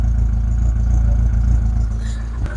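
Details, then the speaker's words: Rover 25 GTI, 1.8L VVC petrol, warming up after fuel filter replacement: low, regular idle throb with an occasional sharp backfire-like pop; misfire not sorted, cause not found, owner plans to have a garage fix it. "Yeah, there's still a little bit of what sounds like backfire every now and again."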